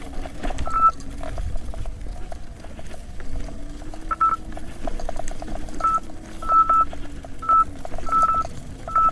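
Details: 84 V Nikola electric unicycle on a tough climb, board 41–45 °C: short high beeps, single and doubled, about every second over motor hum, the 90 A current-limit alarm tripping. MOSFETs later blew on Overheat Hill.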